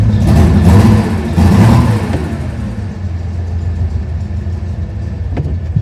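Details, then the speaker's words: 1970 Porsche 911T on its first drive in over a decade: revs pull strongly, then sag and surge unevenly as the engine stumbles, running out of fuel after only one gallon was added. "it is out of gas I can hear it isn't the fuel bump yeah it's out of gas"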